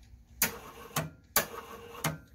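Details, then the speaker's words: Abandoned Wheel Horse GT14 garden tractor, key in run, first start attempt: two short whirring bursts, engine never catches, sounding like a slipping belt; owner suspects starter slipping or engine stuck; fails to turn over. "okay it's trying to turn over sounds like a belt slipping"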